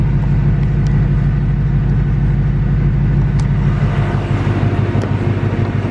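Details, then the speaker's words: 2018–2019 Ford Mustang GT Coyote V8 at idle after an oil change: steady low rumble with a light regular tick about three a second, louder than ever after returning in the last two weeks; owner says not from direct injection, source undetermined. "I'm at the most famous spot of them all where I learned that my moto is ticking let me see if you guys could hear it"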